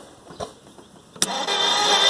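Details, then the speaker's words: 1958 Plymouth engine, rebuilt 1968, compression test on cylinder 8: a click, then a steady, even starter whir with no firing; reads 120, respectable compression. "What does that look like? 120, that's respectable."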